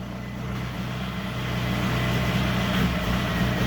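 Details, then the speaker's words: VW Mk4 TDI diesel during parasitic draw diagnosis: uneven, lumpy, stumbling idle that sounds like a misfire; cause not confirmed. "hear that it's as if it's misfiring or something"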